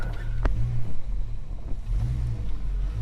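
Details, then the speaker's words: Holden HK V8 at idle with a soft, deep woof that swells and fades every second or so; the cause of the pulsing is unclear. "Oh, look. She's also got a funny little woof woof sound, like woof, woof, woof, woof."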